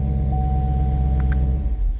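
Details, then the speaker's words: 2016 Camaro SS after starter replacement, reassembled, battery post tightened, second start-up: smooth, steady low idle rumble with an even beat and no knocks or rattles; sounds great. "at this point we should be able to start her up and she should sound nice and quiet"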